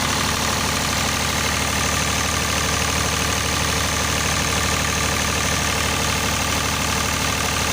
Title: স্মুথ রানিং ডিজেল জেনারেটর | Engine Sound. Test#GeneratorRunning #DieselGenerator #PowerBackup